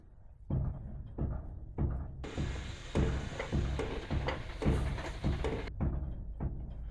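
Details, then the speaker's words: 1966 Ford Mustang door on brand-new aftermarket hinges, being rocked: repeated dull thuds about two a second; the new upper hinge already has a lot of slop and clunks. "I assume you can hear that noise and you can see that okay so what that is is that is this upper hinge has already got a ton of slop in it and it's a brand new hinge"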